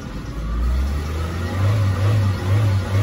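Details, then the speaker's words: Peugeot 206 engine with immobilizer (IMO) unplugged: it starts, but when throttled it surges and drops back about every half second, capped around 3000 rpm; IMO must be programmed for normal throttle. "Karena kalau seperti ini nih, kita hidupkan ini ya, ini tanpa IMO nih. Ini hidup tapi dia nggak bisa digas."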